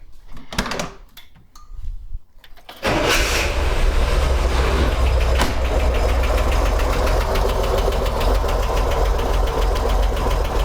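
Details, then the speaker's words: 1964 Corvair Monza during tune-up, cold with chokes on: after a few cranking bursts it fires and settles into a steady high idle around 860–900 rpm, even beat, no knocks; normal cold fast idle. "the car is cold right now so the chokes are on and you can see i'm running 900 rpm 870 880 870 860. so that's my high idle right now it might be a little low but it seems like it's doing okay"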